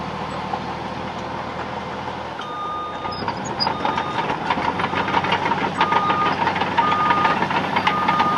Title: That sound of track chatter from this Cat D6 Bulldozer